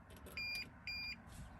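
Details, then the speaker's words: Toyota Tundra dash with the engine off: two short high beeps half a second apart as the parking sensors are switched on, the sonar fault warning for the left bumper sensor, whose wire broke during reinstall; the dash shows "check sonar system, see dealer". "It tells me which one's broke because it's flashing on the left side. And check sonar system, see dealer. And then it just all starts flashing."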